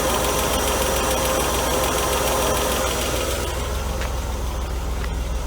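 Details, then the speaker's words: 1992 Mercedes W124 300E M103, first start after head gasket install: light, fast, even ticking over a smooth idle; new hydraulic lifters drained of oil, expected to pump up and it later went away. "the only thing i hear is a lifter we just got to get pumped up with oil"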